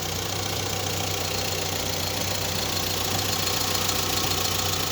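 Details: VW Saveiro after belt-noise repair, power steering, alternator and A/C belts reinstalled: even idle with light regular ticking, no knock or squeal; normal after repair.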